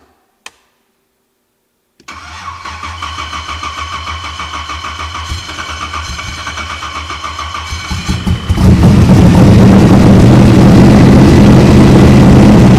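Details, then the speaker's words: NASCAR Cobra that died after tuning, now worked on: even cranking about three and a half beats per second for six seconds, then stumbles and catches into a loud rough roar; believed flooded and cranked to clear fuel. "Yeah, she's going to be flooded as hell right now. And we just crank it and let it kind of spit some of that out."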